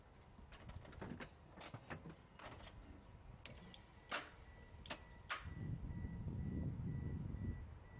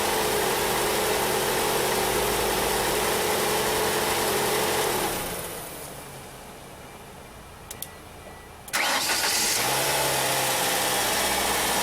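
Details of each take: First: 1994 Ford Escort 1.9, bad starter; sharp irregular clicks each key turn with no cranking, solenoid trying to engage; voltage to starter confirmed; recorded outdoors in wind. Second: 1994 Ford Escort 1.9 after replacing a bad starter, wiring checked and battery terminal protected: steady idle drops, short crank catches cleanly, returns to an even smooth idle; normal start and idle, outdoors with wind.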